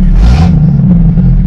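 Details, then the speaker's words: 1996 Jeep Cherokee XJ 4x4, odometer about 132,000 miles, running while being put in gear. Very loud, deep, booming drone with no softening, steady with the engine: the exhaust has no muffler. "loud loud exhaust because it doesn't have any"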